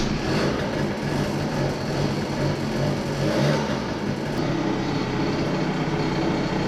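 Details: Two-stroke research scooter idling again after cylinder head work (compression ratio measured); steady, even buzz at constant pitch with no stumbling or dying, normal idle, though intermittent cutting out persists elsewhere.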